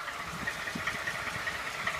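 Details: 2012 Ford F-150 5.0 at idle: light, irregular knocks over a steady idle hum with a hiss on top; engine knock at idle, cause unconfirmed.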